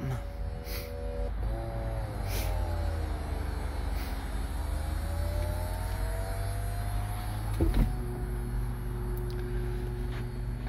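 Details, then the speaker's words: 2008 BMW 650 convertible with 85k miles, top being raised: windows drop, smooth electric motor whine shifting pitch as the roof moves, brief clunk as the lid latches, steady hum as the windows rise; everything works normally. "okay now let's do the reverse order Windows go down top comes"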